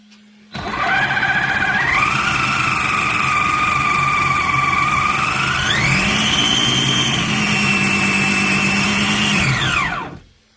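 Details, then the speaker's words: RC car after repair, screws refitted, previously with a wobbly axle, run to check all four wheels drive: small electric motors whine steadily, stepping up in pitch twice as throttle increases, then winding down; normal motor run. "Right, we will fire it up. And hopefully, fingers crossed, all 4 wheels will move."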